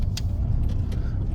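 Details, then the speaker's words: Suzuki Swift after fitting a new valve, driving round a roundabout: the engine sags to a low, lumpy rumble and bogs down as it slows, idling down to about 500 RPM; pickup is otherwise improved. "bogged down a little bit again. Then she sort of idles down to about 500 RPM, but we haven't seen what she's like at a dead standstill."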